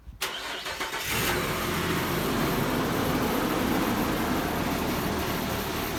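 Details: 2006 Nissan Pathfinder 4.0 V6: engine cranks, catches, then idles with an uneven loping beat about three or four times a second. It was found to have a cylinder misfire and to run really rich, with coil packs to be checked. Cylinder misfire at idle.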